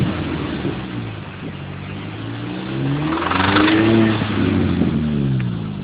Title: cooper s engine knock.3gp